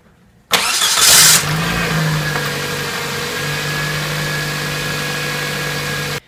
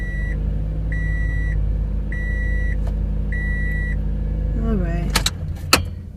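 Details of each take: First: 2006 Toyota Matrix 1ZZ-FE after starter replacement and battery reconnection: brief crank, prompt firing, flare up, then steady even idle hum; new starter and starting are normal. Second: 2006 Toyota Matrix 1ZZ-FE engine idling under a repeating chime, then shut off; sharp clacks follow as the faulty starter, solenoid or motor, is struck to get one more start; starter needs replacing.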